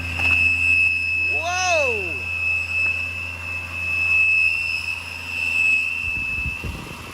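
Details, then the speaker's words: 2007 Ford F-150 5.4L V8, cold start after sitting for hours in winter: loud, steady high-pitched howl over idle from a failing alternator bearing, returning at higher rpm until warm; slight power steering noise at startup is normal. "That is not normal at all. And once you get to the higher RPMs again, it'll come back until it actually warms up in there."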